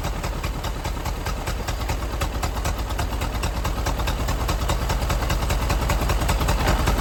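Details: Ford Model AA doodlebug revived after sitting, oil added to two cylinders, no alternator fitted: low, heavy chuffing idle with a slightly uneven beat, about two or three pulses a second; still rough on some cylinders, cause unconfirmed.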